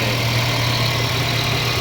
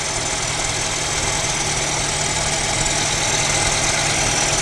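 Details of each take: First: Mercedes-Benz CLA W117 petrol engine after water pump replacement and coolant refill: steady, even idle with smooth low hum, previous loud pump noise gone; normal idle. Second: Mercedes-Benz CLA W117 idling, loud harsh grinding whir from the front of the engine with coolant loss, a leak and a Top Up Coolant warning; mechanic suspects the water pump bearing.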